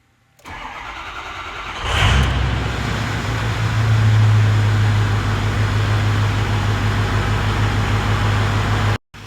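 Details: 2006 Ford F350 6.0 Power Stroke diesel after replacing damaged IPR valve for crank-no-start: cranks briefly, catches at once, settles into steady even diesel idle with no misses or knocks; repaired.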